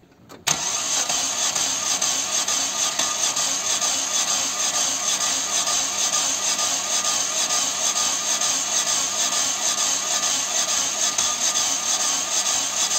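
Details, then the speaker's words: Chevy (Corsa) 1.6 with new timing belt, injectors and coil disconnected: the starter spins the engine with even, rhythmic pauses as each cylinder comes up on compression, so compression is present and cranking is healthy. "y esas pequeñas pausas que se escuchan cuando gira el motor cuando no arranca me están diciendo que si existe compresión en el motor"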